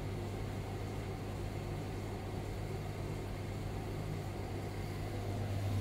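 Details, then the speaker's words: Hotpoint/Indesit-type tumble dryer after replacing the teardrop bearing to cure squeaking: the drum turns with a smooth, steady low hum and no squeak or screech; running quietly as it should. "if she is running nice and quiet that's the way you want it"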